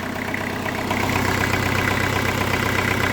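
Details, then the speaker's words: Kubota L4200 diesel tractor after repairs (new ignition, front hub seal, fresh fluids), not overheating though slightly smoky; steady, even diesel clatter about four beats a second at idle, no knocks or misses, normal idle. "I mean listen to this thing just starts right up and uh really sounds sounds good ready to work"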